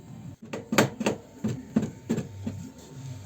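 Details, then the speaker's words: Renault Megane II with a strong knock the customer thought was the rear wheel falling off: hollow metallic knocks, about two a second, unevenly spaced, from a loose rear exhaust whose rear bracket had broken off. "Відірвався задній кронштейн вихлопної. Привезли новий кронштейн."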